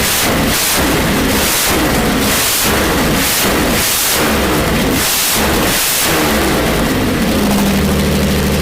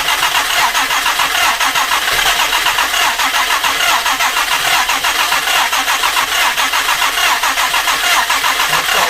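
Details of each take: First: Jaguar E-Type 2+2 six-cylinder under restoration, running with no exhaust fitted: rough, loud open-pipe idle with a steady beat, smoothing toward the end; sounds like it is running on all six cylinders. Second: Jaguar E-Type 2+2 under restoration, first start attempt: long run of even starter cranking, turns freely but never fires; flooded with fuel after choke applied, fuel pooling.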